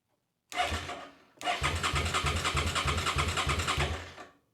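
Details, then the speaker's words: Old motorcycle revived after years unused, new battery, fuel pump priming, tip-over sensor repositioned: starter cranks steadily at about three compression pulses per second but never fires; tip-over sensor position suspected. "okay okay we got crank but we got nothing let me play a little bit with this guy maybe I find a position where it might work"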